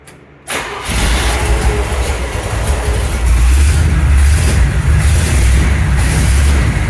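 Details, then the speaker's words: 1975 Chevrolet C10 V8, engine that came as a spare with the truck, test-run: fires right up and settles into a steady, even idle with no knocking or tapping; normal idle. "Thing sounds good."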